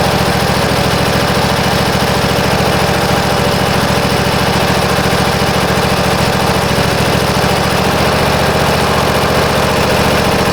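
Even, rapid single-cylinder beat at a constant speed with no stumbling or knocking throughout; it idles normally.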